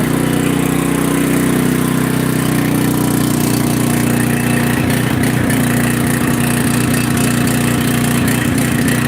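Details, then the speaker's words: Generator just started after playing with the choke, left to sit and run: steady mid-pitched drone with an uneven clattery flutter about four times a second, sounding like an ice cream maker but running; cause unknown. "Sounds like an ice cream maker, but it does run."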